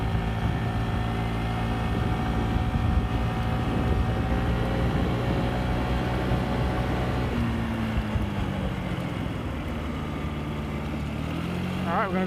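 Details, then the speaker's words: Yamaha Vino 50cc scooter with new genuine Yamaha air filter, riding up the hill it got stuck on before: steady drone, pitch easing smoothly under load with no bogging; runs healthy after filter replacement. "all right here we go and this is with the new Yamaha filter - it does same section Road no problem at all turn it around"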